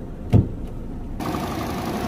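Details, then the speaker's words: Car at 114,000 on the clock, idling: a single thump, then a rough buzzing whir as the radiator fan runs; the fan motor is worn and wobbles badly, shaking the radiator, and will be replaced to avoid overheating. "terlihat ya nih radiatornya dia bergetar nah sumber suaranya dari sini bosku dan ini disebabkan ban motor radiator goyang lalu menimbulkan bunyi yang tadi"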